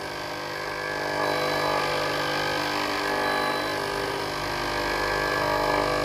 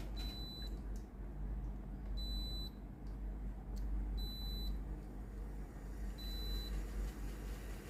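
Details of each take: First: Philips GC7703 steam iron, soleplate heating normally, orange light blinking, during clean mode: the water pump buzzes steadily nonstop but no steam comes out the front; pump replaced. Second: Philips GC7703 steam iron after water pump replacement, calc-clean started by holding the button 5 s: steady low pump buzz under beeps every two seconds, with water coming out at the soleplate; pump working normally.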